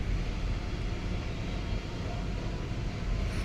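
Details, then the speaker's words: Hitachi cassette AC indoor unit after loosening two screws to fix a noise complaint: steady, even whoosh of air with no scraping or rubbing; blower runs smoothly and the noise is gone. "यह हमारा AC चालू हो गया problem हमारी solve हो गई अब कोई आवाज नहीं आ रहा है कोई दिक्कत नहीं है"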